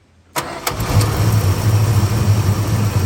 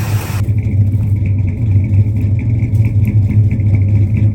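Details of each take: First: 1965 Dodge Custom 880 V8 starting for the first time in 3 years on a brand-new carburetor, starter jumped because the ignition key has a bad spot. Brief cranking, then it catches and settles into a steady, low, even idle: engine start. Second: 1965 Dodge Custom 880 V8, unknown mileage, believed stock with an aftermarket cam, running after 3 years sitting on a new carb. Strong idle with a couple of throttle blips and a faint light tick from a slight exhaust leak; no lifter tap, otherwise healthy.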